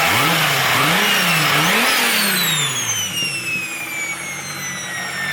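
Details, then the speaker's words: 1995 Toyota Supra turbo with a part removed, making it much louder: revs rise and fall, then a sharp whistling whoosh climbs and fades as the turbo spools freely, jet-like; healthy, just loud. "but if you remove it it makes it sound like a jet like this turbo already sounded really good"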